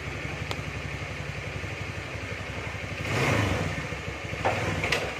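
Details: Carbureted Honda Beat scooter, after CVT repair for loss of power and pull: steady putter at idle, short throttle blip rising and settling cleanly; engine responds normally.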